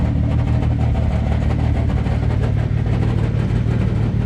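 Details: Supra at first startup after rewiring a previous owner's messy wiring; the clutch fork also rattles. The petrol engine idles pretty rough with an uneven, lumpy beat instead of a smooth, steady hum.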